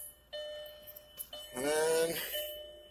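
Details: 2000 VW Jetta 2.0 four-cylinder, repaired after stalling and a no-start with code P0231, key in, lights on: steady two-tone chime rings cleanly; normal warning chime.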